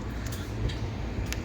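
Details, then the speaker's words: Large format printer X-axis carriage pushed by hand during belt and rail maintenance: three faint sharp clicks in under two seconds from a crushed, damaged spot in the belt. "so when I come did you hear the the click so there's a there's an audible click and you can you can hear it"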